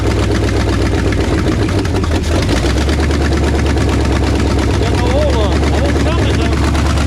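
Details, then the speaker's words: 1968 Ford F250 "Ole Red", newly installed freshened 360 FE V8 at first start: a loud low idle with a sharp rapid clatter timed with firing. It is not valve noise but exhaust leaking from unconnected headers. "you see what the clatter was on there what the headers wasn't even hooked up"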